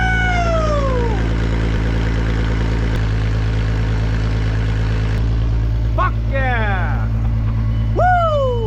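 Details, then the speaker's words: VR6 engine from a 2002.5 6-speed Golf/GTI Mk V, front clip cut off and run outside the car on a drip fuel feed after extra ground wires added: steady, even low hum settling to a smooth idle, no misses or knocks; normal idle. "She's idling down good. It's not unhappy over there at all."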